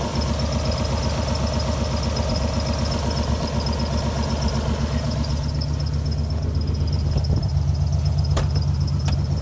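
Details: Alfa Romeo GTV V6, parked for a few months, started up running rough: low throbbing idle with an uneven pulse about four a second, steadier under revs; owner suspects a misfire, cause not confirmed.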